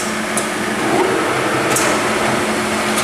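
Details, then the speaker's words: Cincinnati Hydrashift 15" x 54" engine lathe spindle running at 518 rpm after shifting through speeds: even, steady gear whir with no knocks or grinding; runs smoothly. "There's 518. Sounds good. Yeah, sounds nice."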